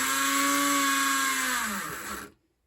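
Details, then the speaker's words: AHM BL2 HO scale locomotive under power in both directions: steady, high, thin motor whine with no wheel or gear noise; motor spins with no drive to the wheels, most likely because the truck bottom plate is loose. "It sounds like the motor is spinning over, but there's absolutely no connection to the wheels whatsoever."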